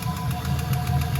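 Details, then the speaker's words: LS-swapped BMW E46 on first test drive, after idle dropped far below normal: deep, loud, steady knock about seven raps a second over heavy low rumble, seemingly from the middle of the block; owner hopes exhaust leak, cause unconfirmed; engine knocking. "What is that noise? Oh Christ. Where's that coming from? Sounds like right in the middle of the block."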